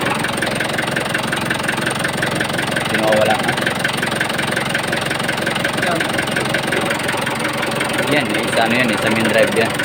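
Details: Mitsubishi 4D34T diesel at idle: a loose, uneven knock about three per second over the clatter; connecting rod bearings were diagnosed, but on teardown all bearing clearances measured good, a wrong diagnosis.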